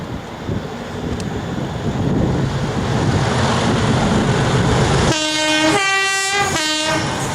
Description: DRS 37261 drags Failed 66302 making a massive noise passing Stafford working Daventry-Crewe Gresty Bridge 19/08/13